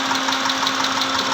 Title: 2010 MITSUBISHI PAJERO V6 Engine(6G74)/Engine Knocking Sound/Cause & Remedy(Part 1)